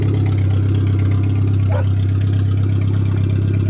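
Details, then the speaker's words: Suzuki Swift 1.3, previously rolled over, running on a makeshift front-seat fuel tank setup, fired up fine: steady, even low hum from the small four-cylinder, no knocks, misses or surges; normal idle. "Works perfect. This thing fired up great this year."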